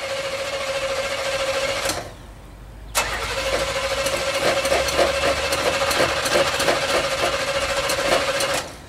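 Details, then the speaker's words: Demolition derby car with a suspected burnt-out starter and possibly no fuel tank: steady starter churn about three and a half beats a second, a pause, more cranking, never firing; cranking, no start. "hey it's not going to start right off the bat"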